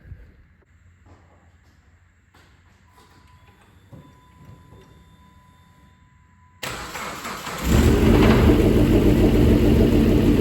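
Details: 2008 Dodge Caliber SRT4, abused project car, first crank and start: engine catches and runs unevenly with a fast regular tick, about 200 a minute. No rod knock heard; owner suspects the loud ticking up top is just the injectors.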